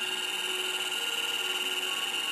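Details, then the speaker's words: MFM hard drive in a 386SX machine in an IBM XT case, during media analysis after formatting: a steady high whine with fast continuous chatter as the heads sweep back and forth nonstop without settling, a seek fault. "No, it's doing seek. It's going back and forth across the... Yeah, you can feel it going back and forth. The heads are going back and forth across the whole thing, just trying to get there. That's not right."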